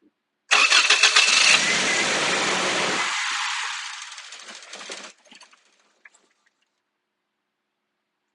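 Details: 2001 Toyota Tacoma 2.7L, about 345,000 miles, which stalled while driving: it cranks and fires for a few seconds with a ragged roar, then fades out and dies and won't keep running without throttle; fuel pressure to be checked next.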